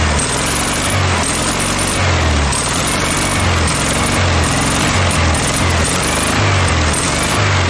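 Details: Air-cooled VW Beetle flat-four on junkyard VW motorcycle build, running gas from a remote tank: loud busy steady idle, even low beat, no misses; normal idle.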